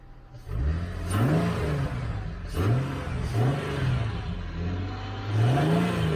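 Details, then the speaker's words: 2009 Ford Mustang V8 idling and blipped a few times, revving up and settling cleanly with no power-steering-like whine; normal running. "It sounds good. I don't hear that power steering whining or nothing. Think it was all that compressor."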